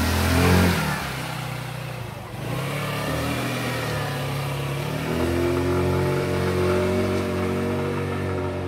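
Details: Kuba Brilliant 125 scooter after replacing spark plug, front variator, clutch pads and belt and fixing a loose plate (variator rattle gone): engine revs up cleanly and pulls away smoothly with zero vibration at take-off; normal acceleration.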